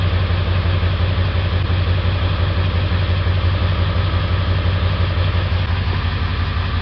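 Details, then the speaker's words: 1999 Ford 7.3 Powerstroke diesel, warm, during scan-tool cylinder contribution test: steady beat with a regular missing pulse about three per second; cylinder 3 dead misfire not contributing, suspected faulty injector; cold it was hard-starting, loping, smoking black and white. "three so we have determined that we have a dead misfire on cylinder three it is not contributing to the rest of the cylinders"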